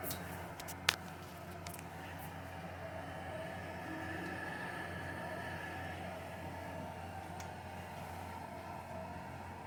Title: Viessmann internal unit makes weird noise while heating up the water for the boiler.